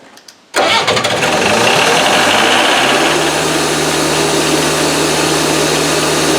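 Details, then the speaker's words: Hydrovane compressor's diesel engine, first start after 18 years, after fitting starting system: catches almost instantly, clatters up to speed, settles into steady even idle with no misses or knocks; normal start and idle. "No, where did that start after 18 years? That is God's honest truth. That was unbelievable. What a good old motor."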